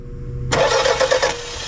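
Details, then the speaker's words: 1991 Toyota Celica, non-running after a timing belt job, cranked with charged battery: brief even starter cranking with no firing; spark confirmed, owner suspects a fuel problem; cranks but won't start. "we got spark so that's that's it all right H well let's see all right almost makes me wonder could be fuel related so we're fixing to find out"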